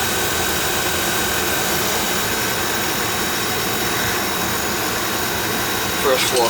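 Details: Oil furnace burner, checked after an oil-smell complaint and a fan that ran all the time, firing on a thermostat call: steady, even flame roar with no pulsing, rumble or sputter; firing cleanly.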